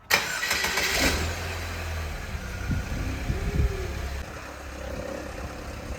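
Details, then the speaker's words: Project Saab 9-3 on first drive after engine and transmission swap: rough idle with an odd low drone and irregular clunks, loudest when first started, going away on throttle; source unclear. Abnormal noise at idle. "It's making a really weird noise. The other transmission. I don't know, man. That's not good though. When you get on the gas, it goes away though."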